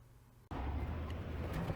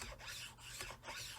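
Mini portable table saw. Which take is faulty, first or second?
second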